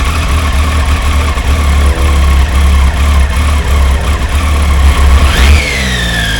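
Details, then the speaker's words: Triumph motorcycle started cold, needing 15–20 minutes to warm up, no engine lights: loud, lumpy beat stumbling and dipping unevenly before a quick rev; rough running when cold, owner wonders about spark plugs. "There's no engine lights or anything like that. It's just really rough."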